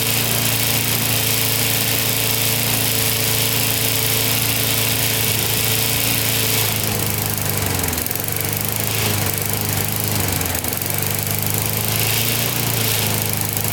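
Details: Older Briggs & Stratton 3.5–4.5 hp lawnmower engine with carburetor on metal tank, after diaphragm replacement and cleaning: steady, even single-cylinder buzz without stumbles or surging, running cleanly.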